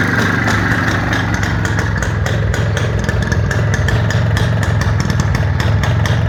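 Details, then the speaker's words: IZh Planeta 5 motorcycle with a key-operated dynastarter, engine revved for a sale. Crisp two-stroke crackle climbs and falls cleanly with the throttle, no knocks or rattles; the seller says the engine and gearbox are good, and a road test found no faults. "Mana motori. Motor holati. Gaz berib ko'raman, quloq solib ko'ring aka."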